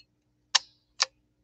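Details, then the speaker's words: 1957 Japanese Fleetwood Model 492-TW sewing machine: width lever moved to widest zigzag position four and button pushed, two crisp light clicks as it locks in place. "then i'm gonna push this little button now listen very carefully to what the sound of the machine locking it in place"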